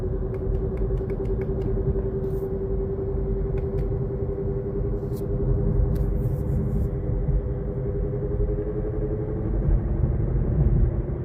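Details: 2023 Kia Niro EV at 8,500 km, while driving: a deep rumble and drone from the drive unit that sags in pitch as speed changes. Over a month at the dealer, tires and axle shafts were checked or replaced without fixing it; the cause is unknown.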